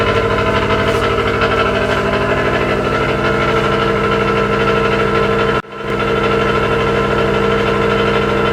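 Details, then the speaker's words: 2018 Subaru WRX STI with custom downpipe, tune, no rear muffler change, cold start in parking building: loud raspy buzzing idle with brief dip midway; normal cold-start rasp from secondary air pump, which then shuts off or reduces duty. "so bear in mind the secondary air pump will then turn off or reduce its duty cycle so you might hear the rasping slowly go or it might just shut off and go altogether"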